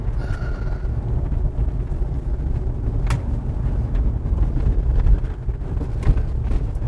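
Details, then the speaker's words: 2013 Toyota RAV4 on the road after dash rattle fix: steady low road rumble and odd bumps with no buzz or rattle from the dash trim, even over big bumps. Quiet dashboard, no rattles. "it's proper not one bit of noise except for the not wearing seat Bel noise but we're in a parking"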